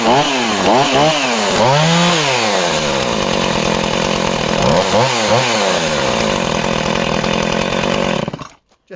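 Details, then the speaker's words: Project chainsaw, running as found with original plug and filter: revs rise and fall unevenly with slight stumbles on blips before cutting out; sounds slightly rich, owner suggests carburetor service and fresh plug. "So that's an amazing little project saw, but she does have that, you can just hear it, can't you, when she's running, just that tiny bit of hesitancy."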